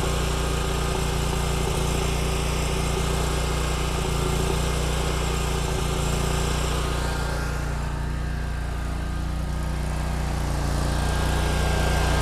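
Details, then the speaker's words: Kubota Z122R Kommander mower with new carburetor: fires right up and runs steady and even once off choke, no missing or surging, fuel filter filling. "well the fuel filter is definitely filling up now so it just may take a minute to pump back there well so far it fired right up and as soon as i shut the choke off it smoothed out"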